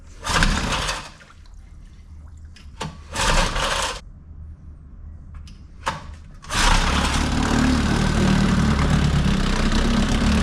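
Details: 1950s Evinrude 3 hp flathead two-stroke outboard after carb cleaning, on TC-W3 oil mixed 24:1: a few short pull-start bursts, then catches and holds a steady buzzing idle; runs fine.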